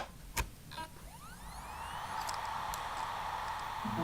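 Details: Laptop hard drive in an external enclosure being tested for data recovery: a couple of clicks at power-on, then a smooth rising whine settling into a steady hum; normal spin-up, drive detected as 232 GB and working.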